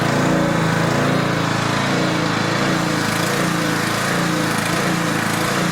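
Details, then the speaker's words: Older Tecumseh 4000 W generator with adjustable main jet, running under a steady load; engine speed rises and sags instead of holding even; surging from too lean a mixture, to be fixed by richening the main jet. "It's surging. Surging usually means too lean of a mixture. So, we don't want that."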